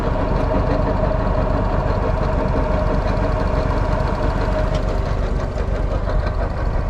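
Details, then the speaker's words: 2009 Walker Model T mower with an Eaton Model 7 hydro transmission: at low idle there is a rough, whirring rotational growl that goes away when the throttle is raised; the hydro's input shaft bearing has failed. "guys hear that as soon as i wrap the throttle up it goes away but at low idle you hear that rotational noise that guys is a bearing that has let go in my hydro"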